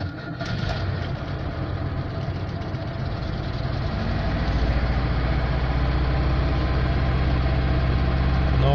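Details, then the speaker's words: Frozen engine run on water at -1°C, thawed with a heat gun and started on a recharged battery: catches and runs low and uneven, barely holding revs and slowly building; starts but won't hold a proper idle. "нажимаем на кнопку запуска завелась было оборота только голов нет почему-то"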